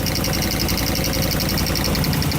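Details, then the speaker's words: Supercharged Caprice, back together after sitting months: fast, even mechanical ticking over a steady idle, appearing only after a delay; owner thinks it is top end, not bottom end, and is checking injectors. "It's so weird that the noise doesn't happen right away. Oh, there it is."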